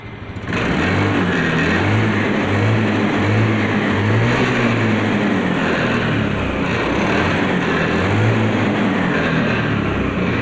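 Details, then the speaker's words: Honda Scoopy fuel-injected scooter that bogs on sudden throttle: RPM won't rise and hangs flat instead of picking up, later fixed with an old fuel hose trick. "ternyata gasnya tidak mau naik rpm nya itu tidak mengenai Ia temen-temen tetap tertahan ya"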